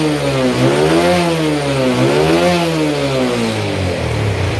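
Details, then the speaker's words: Yamaha Jupiter Z engine fully rebuilt after a crash into a truck, battery not yet fitted, rain hiss on the roof behind it: the small single revs cleanly up and down in smooth blips with no knocking, rattling or stumbling; it sounds healthy. "suara hujan ya bos Di atas pakai galvalum soalnya ini suara mesinnya Bos kayak baru keluar dari dealer ini suaranya Bos adem Bos"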